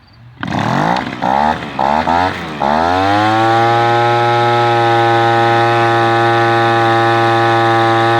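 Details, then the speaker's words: Echo PB-210e two-stroke leaf blower, 25+ years unmaintained, after spark plug connector/boot repair and carburetor adjustment: starts, quick throttle blips, then steady high full-throttle scream; reluctant to idle at first, then running well. "All right, I feel pretty good about that. That's running really well."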